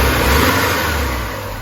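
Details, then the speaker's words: Porsche 968 after a cam chain and tensioner pad replacement, about 10 minutes running and halfway to temperature. Loud ticking at first, probably a stuck lifter, is now gone. A smooth, even hum with no ticking or tapping: normal running. "I've been running probably 10 minutes lifter noise is gone"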